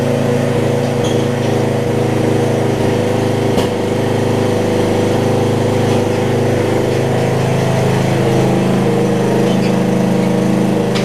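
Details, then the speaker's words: Murray rear-engine riding mower (RER) with a single-cylinder engine, running warm after an earlier valve-grind repair. Steady, even drone at constant speed with no stumbles or knocks, normal running. Spark plug was changed by the previous owner; the mechanic wonders if it may cause cold-running issues. "the good news is my original fix with the um valve grind is doing great i mean this thing more this mower runs pretty good after you get warmed up"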